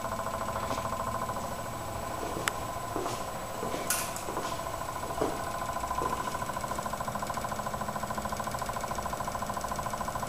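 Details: Onan generator with spark but suspected fuel problem, carburetor just cleaned and reassembled, power applied by jumping pin nine to pin five: fast, even ticking under some clatter from the electric fuel pump energizing and priming.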